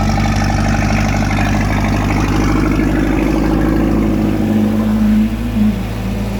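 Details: Repaired port engine of a one-of-a-kind speed boat (starter replaced, timing 8 degrees), just started with water on: deep, even idle settling into a smooth steady beat, no grinding or stumbling; runs fine without raising RPM; normal idle.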